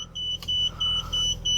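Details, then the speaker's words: Crash-damaged car, first started since purchase: the low tire pressure chime gives clean high beeps about three per second over a quiet idle, flagging the left tire. "Car just started. Low tire. Yeah, I know, on the left."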